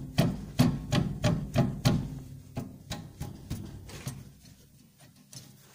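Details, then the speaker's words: Nissan Maxima rear suspension rattling over small bumps: run of sharp metallic clacks, about three a second and fading, from a brake pad loose in its caliper bracket; loose brake pad rattle. "безг этот идет от колодок вот сейчас я покажу как колодки у нас болтается"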